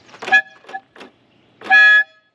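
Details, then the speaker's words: Fiat 124 Sport Spider, revived after sitting since at least 2011, horns tested while parked: a short toot then a longer, strong, clear blast with a steady bright tone; horns work normally and are very loud. "I feel like while Papa's getting gas, we should test these horns out, shouldn't we? Mhm. It scared me. Those are crazy."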